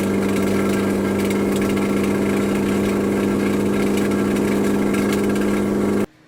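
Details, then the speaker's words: Turbocharged DC2 Integra at idle, turbo gasket blown: loud raw blat with steady drone and ragged puffing, too open for a sealed exhaust. Exhaust leak at turbo gasket. "Alright, so my gasket exploded on my turbo. It is what it is."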